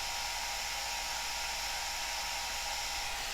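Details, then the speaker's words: Cascade DS-925 hair dryer after repairing a no-heat fault (broken heating element connection crimped), cool button held, cold air out. Steady airy rush with faint high fan hum, perfectly even; blowing normally on cool. "that's with the cool button held in and that feels cold coming out"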